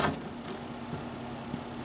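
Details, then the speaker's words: Noisy CPU fan in a cPanel server: steady fan hum with a faint repeated tick roughly twice a second, audible through the case, unlike a smooth-running fan in another server. "tick tick tick tick tick that's just wonderful so I don't know what this thing is going to do you could probably the ticking noise and you can hear that right through the case"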